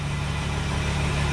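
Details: 2008 Mercedes Sprinter diesel after a rail pressure regulator reset: a short rough rumble as it nearly catches but never idles. Lost fuel pressure from leaked fuel is suspected but not confirmed.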